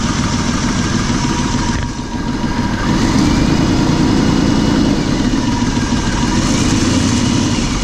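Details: Valve train ticking at idle after fitting new plugs and wires (old ones showed carbon tracking from dielectric grease): steady idle with a light, quick ticking, about three per second, up in the valve covers; owner suspects rocker, cause unconfirmed.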